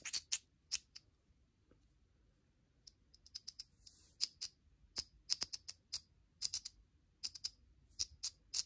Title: Voopoo Drag Nano 2 spitback & misfire